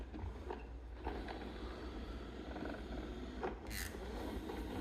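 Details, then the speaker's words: Narwal Freo X Ultra robot vacuum after replacing cracked, worn wheel: low soft rumble rolling along, no squeak from the wheels; squeak fixed. ">> I don't hear any squeak. So, if your norwall is squeaky like ours was driving me up the wall, fix that and it should be working."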